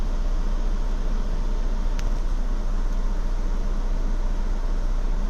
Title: 2016 Ford Explorer Limited Rough Idle 2